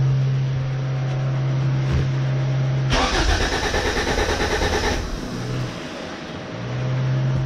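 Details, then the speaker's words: B20 VTEC engine after fuel filter cleaned, fuel pressure still low (about 20%); long hard cranking, then catches and stumbles with uneven, lumpy beat before sagging; rough running, cause not confirmed. "See how it's running rough?"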